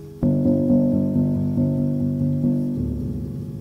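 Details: Grand piano with a muffler rail being installed, after adjusting it so the felt sits clear of the brass back rail and still reaches the strike point: clear ringing notes in quick succession, with no click or buzz from rail contact.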